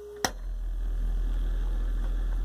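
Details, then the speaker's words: Velodyne F-1200-B subwoofer after repair of the servo circuit that caused growing low-frequency oscillation: short click, then a steady deep tone, clean and even with no wobble or pulsing. No oscillation. "that's good yeah it's not oscillating that's good other than the signal I put in it"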